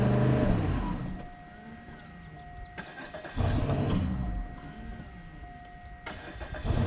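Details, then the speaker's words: 2004 Cadillac DeVille at end of life, starter previously stuck. Uneven cranking bursts catch briefly and fade on sprayed starting fluid; engine only fires on the spray. "let's see if it starts cool okay I'm gonna spray it one more time and unhook the battery charger cuz I'm gonna have to try to drive I think right away"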